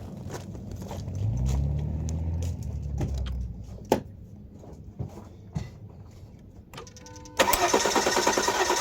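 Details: 2011 Volvo XC60 after spark plug and coilover replacement: short bursts of cranking, then the engine catches with a sudden rise and settles into a steady run on first start-up.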